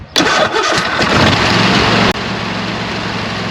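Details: Kohler 26 HP V-twin mower engine, previously misfiring on one cylinder, after fitting new OEM Kohler ignition coils replacing cheap aftermarket ones; catches right away, settles into steady even idle, no misfire or stumble: normal start and idle.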